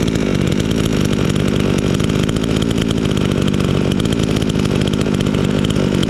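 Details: Chinese chainsaw sold as a fake Stihl, freshly assembled and started first time; loud steady two-stroke buzz at even speed with no misses or surging; owner glad it runs fine, normal running.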